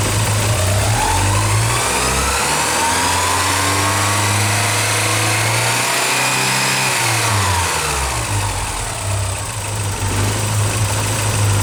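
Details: Early Porsche 944 with a leaky fuel pressure regulator: engine climbs and falls through a rev with a ragged, unsteady note, fuel pressure dropping as throttle opens; rough idle, leak-down test failed, fixed by replacing the regulator.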